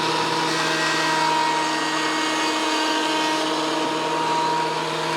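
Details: WEN PL1326 15-amp 13-inch spiral benchtop thickness planer, after repair of misuse damage, feeding a small board: steady high motor whine, even cutting hiss, no chatter or bogging; cuts normally, board parallel within 0.002 in.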